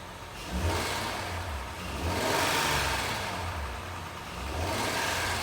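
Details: 2009 Honda Accord V6 with three light revs: choppy low flutter or rattle under the hiss; owner asks whether the flutter is normal.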